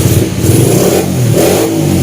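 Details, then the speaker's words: Honda Sonic 125 after major service (new spark plug, wheel bearings, oil change, starter repaired with new brushes), cold start on a little choke: small single revs cleanly, picks up crisply and settles back without stumbling; normal cold-start revving. "ติดเครื่องตอนแรกก็จะมีพวกนี้หน่อยนะครับ"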